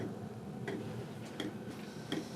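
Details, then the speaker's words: Chinese diesel air and water heater during start-up, fuel pump doing fast pumping to light: crisp single ticks about every 0.7 seconds over soft fan hum; normal fuel pump ticking. "Oh. Ah, it's got a similar light as the other one. You hear it do a fast pump there to get it started."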